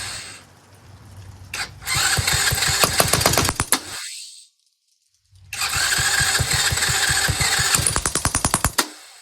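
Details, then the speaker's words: Chinese Tao Tao 125cc ATV quad with new carburetor, on choke: small single revs and pops unevenly, fading and dying twice when throttle is released; idle speed set too low, idle screw to be turned in half a turn. "all right so it needs a little bit of uh idle I'm going to turn the idle Jet in or the screw half a turn see if it stays running on its own without me holding it"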